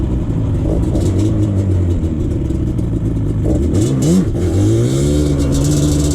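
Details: 2001 Yamaha Banshee 350 two-stroke on a POV test ride after new clamps fixed an exhaust leak: crisp wail rising and falling through quick shifts, no puffing or ticking from the pipes. Exhaust sealed and normal.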